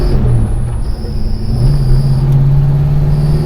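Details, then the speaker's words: 1972 Plymouth Road Runner, 440 V8, four-speed with Gear Vendors overdrive, 3.55 gears, on first road test after reinstall: thin high squeal over deep V8 rumble from a junk clutch throwout bearing; clutch fingers were found wasted earlier. "well the first thing I can tell you here is that the throw out bearing is junk"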